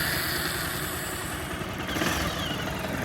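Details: Bajaj Pulsar 220, about 11 years old (bought 2011), 60–62 thousand km, after repair of an engine tick-tick noise (timing chain, scissor gear, clutch kit): even, steady idle with a mild rev rise, no tapping or rattle; smooth and quiet.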